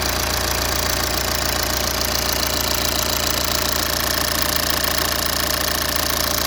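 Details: BMW E91 320d diesel, first start after replacing the high-pressure pump and injectors, with fuel system flushed and de-aired and adaptation values reset: even idle with regular light clatter, no misses or heavy knock. Normal.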